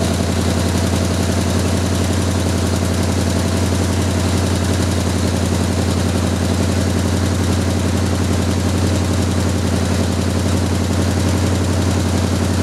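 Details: Jeep M715 army truck, carburetor replacing fuel injection, just started after years unused: loud, heavy idle with steady chuffing beat three or four a second; old engine running rough after long storage.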